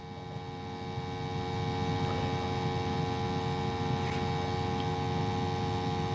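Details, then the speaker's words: Steam boiler burner after cleaning and maintenance for high-pressure issues: steady, even roar with a constant hum and no rumble, popping or surging at light-off; the burner fires cleanly. "so it seems to be burning pretty good"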